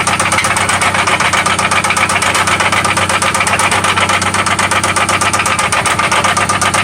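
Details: 1995 Toyota Celica ST after an oil change and new spark plugs: loud, sharp, regular knock about four per second over a steady idle, seemingly from one spot; deep engine knock, source not yet pinned down.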